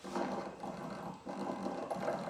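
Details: 2013 Jeep Patriot Limited 4WD removed alternator, pulley slightly wobbly, turned by hand with old belt applying pressure on bench: slow rasping grind rising and falling each turn; worn alternator bearing, replaced along with tensioner.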